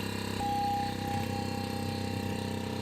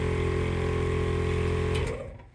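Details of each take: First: On-board air compressor (100% duty cycle at 100 PSI) for an off-road Ford F-150, bench-tested on a battery drawing about 23 A: steady fast pulsing hum with faint whine, slow and laboured; tank filling slowly. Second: On-board air compressor in the toolbox of an off-road Ford F-150, first test: steady even motor hum with low drone and faint box vibration rattle, cutting off cleanly after under two seconds; pretty quiet, making air; normal running.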